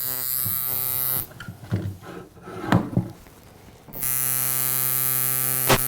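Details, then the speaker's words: Coil tattoo machine shader with a stiff front spring and added O-ring, measured at 130 cycles: fast, even buzz, too fast for a shader and in liner territory. "it's at 130 cycles, which is fast for a shader. That's like liner territory, right?"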